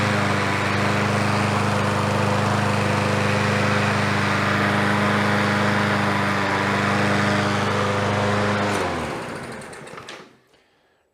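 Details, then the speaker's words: Troy-Bilt TB110 push mower, Briggs & Stratton 550EX single-cylinder, first run after carburetor refit and refuel: runs steady at a fast even beat, then dies off. Overfilled crankcase is pushing oil through the crankcase vent and smoking. "Oh yeah, it's overfull in oil enough that it's pushing it through the crankcase vent."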